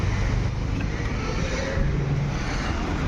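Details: Skoda Rapid diesel after injector service and coding, previously misfiring with blinking glow plug light and code P020400: steady, even low diesel rumble at idle with no misfire stumble or knock; normal idle, fault resolved.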